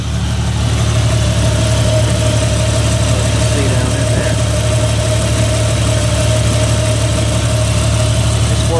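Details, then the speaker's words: Jeep XJ with newly installed hydraulic assist steering, fluid capacity now about 3 quarts with added cooler: steady idle with thin constant whine and light churning; power steering fluid still aerated after priming, expected to work itself out. "so yeah it's still making air big time it'll work itself out"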